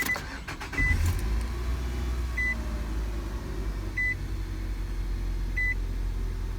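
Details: 2005 Nissan Altima 2.5 four-cylinder, 200,000 miles, after valve cover replacement for bad tube seals causing cylinder 1 and 4 misfires (P0301): starts cleanly into a smooth even idle, dash chime beeping about every 1.5 seconds.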